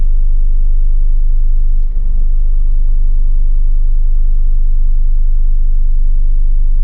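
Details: Hyundai Tiburon idling in Drive or Reverse: low, heavy, uneven rumble with the idle fluctuating and dropping below 550 rpm when the AC compressor kicks in; smooth above 2000 rpm. Misfire fixed by replacing the spark plug cable.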